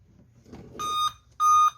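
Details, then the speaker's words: Dell 3421 Core i3 laptop powers on with no display, giving two clear, evenly spaced high beeps; suspected memory fault, 2GB RAM in two slots, a broken USB pin possibly shorting. "പക്ഷേ കണ്ടോ, ഇങ്ങനെ B പഠിച്ചുകൊണ്ടിരിക്കുകയാണ്. Memory issue ആയിരിക്കും തോന്നുന്നു."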